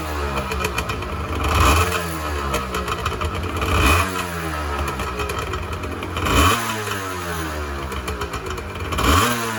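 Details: 1986 Honda NS400R 400cc two-stroke triple revved after first start in 11 months; four sharp blips in ten seconds, revs rising and falling cleanly with crisp crackle; healthy and responsive, oil light on (owner suspects oil level sensor connection).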